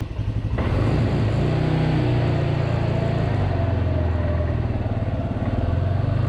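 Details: Polaris Sportsman 300 quad after drive belt replacement, started to warm up before a test ride in rain: engine catches after a second, then settles into a steady, even low idle with no knocks or misses; normal idle.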